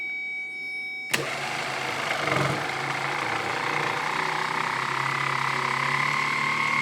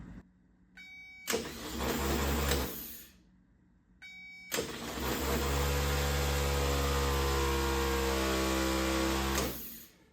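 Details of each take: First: 1970 Triumph TR6 starter motor bench-tested off the car on a good 12 V battery; whirs up to rising hum, then drags, slows and seizes; owner judges internal corrosion, will clean and paint it: starter binding. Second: 1970 Triumph TR6, third starter, a donated, reportedly freshly rebuilt K&P Electrics unit, bench-spun after two weak ones: two strong spins with steady even whine, no grinding; healthy starter, sounds much better.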